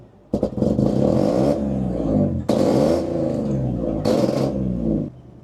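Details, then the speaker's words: BMW E36 restarting after flooding, still smelling rich; it ran with cylinder five, cylinder six and random misfires the day before: engine catches abruptly, surges and sags through uneven rev bursts, then drops off; rough restart, cause unconfirmed. "This how it was running yesterday. Cylinder six misfire. Random misfire Cylinder five misfire."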